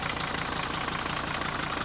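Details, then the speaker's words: 1980 Mercedes W123 300D diesel from a scrapyard, sat a while, only a new battery fitted, bonnet open: typical even, regular diesel idle clatter with no odd knocks; sounds healthy. "Looks like a 300D motor. Sounds like one too."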